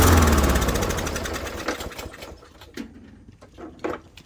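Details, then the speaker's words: Murray Black Max mower with a Briggs & Stratton E450 engine, air filter removed: it fires and runs hard on starting fluid, then sputters and fades within seconds. Not getting fuel; most likely the carburetor jet is clogged. "So as always, 99.9% of the time, it's a clogged fuel jet, almost certainly ins"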